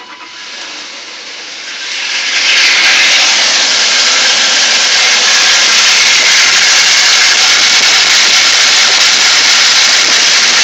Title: m52 grinding noise